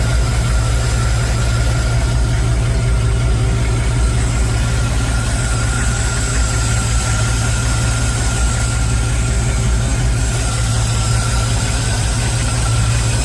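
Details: Chevy after a remote starter solenoid fix for a starter that would not stop cranking: steady, even low rumble at idle with no cranking whine or grinding behind it; engine running normally.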